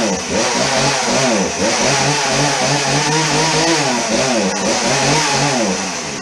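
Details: Chainsaw running on fresh 50:1 premium ethanol-free fuel, with the old fuel dumped for water and flecks, choke on then chain brake off: a high buzzy two-stroke rev that surges and sags and must be held on throttle; it won't idle.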